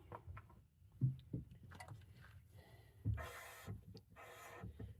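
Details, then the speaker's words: Hyundai Elantra GT rear brakes after new caliper, pads and rotor install: bleeding with helper pumping pedal, bleeder cracked open. Two short sharp hisses a second apart; lots of air still coming out of the brake line before fluid appears. "I can hear that air coming through. You holding it down? >> All right. Lot of air."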